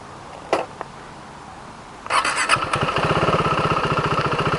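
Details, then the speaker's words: 2016 KTM Duke 390 in a fuel-range test, with the gauge at zero after 193.3 km: a short crank catches and settles into an even single-cylinder thump. It starts and runs, then stalls later. "Okay, it's running. Let's keep riding."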